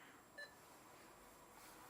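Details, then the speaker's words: Pentium 4 PC at power-on: one short sharp beep over fan hiss, sometimes followed by three fast beeps, with no display on DVI or VGA; RAM sticks removed, cause unknown. "i don't get it nothing on the display what could be wrong"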